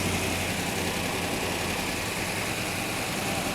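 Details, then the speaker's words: 1967 Hemi GTX convertible V8 with dual quads, air cleaner off while air-fuel mixture is adjusted; even lumpy idle with loud open-carburettor intake hiss, no knocks or stumbles; normal idle, mixture close to right. "he's adjusting the air fuel mixture on them allowing more air in yeah so i mean it doesn't have the air cleaner on it too which doesn't sound bad"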